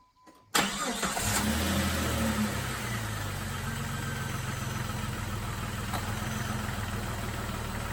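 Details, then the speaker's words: Jeep idling after replacing a failed radiator fan relay (second in two months, fan had stuck on high); steady even idle with constant low whoosh as the cooling fan runs on low, set to switch to high when things get really hot. "fans currently running on low it'll kick the high when things get really hot"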